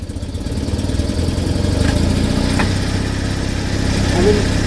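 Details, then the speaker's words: Invacar CVT on a road drive: uneven, rattly drone with rough chatter and a smell of burning belts. Afterwards, one variator pulley's circlip is found able to sit in two positions, leaving a larger gap and shorter rest position. "yes it works but I don't like that noise I think I need to do some research"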